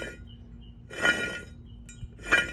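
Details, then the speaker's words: 1994 Sea-Doo GTX jet pump removed: two short gritty clinking grinds as the impeller shaft is turned by hand; rubber end is gone, plans to replace anyway. "Anyway, but it's all that grinding right there. I don't know if that's regular or whatnot, but seems like something's."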